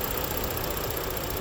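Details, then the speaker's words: 2018 Ford Explorer 4WD, 51,000 miles, engine idling (vehicle has transmission problem): steady even low rumble, no knocks or misses; engine healthy. "got a nice engine idling nice and smooth"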